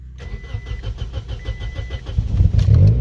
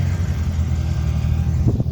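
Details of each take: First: Toyota/Scion manual car with dead battery, started on a jump pack in neutral with clutch in: steady cranking about three and a half beats per second, catches cleanly and settles into even idle; exhaust leak noted; normal start. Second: So, as you can hear, she's got a pretty sweet exhaust leak, which is one of the things that I need to fix in order to uh get it legally on the road in Massachusetts.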